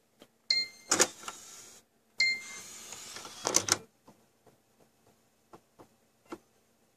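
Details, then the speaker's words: Xbox One disc drive, mostly failing after switching discs: irregular clicks and short whirring spin-up bursts that stop and restart, sounding like grinding the disc, no read. Optical drive failing to read disc. "I swear it sounds like it's grinding the disk up so no read check it yep no read"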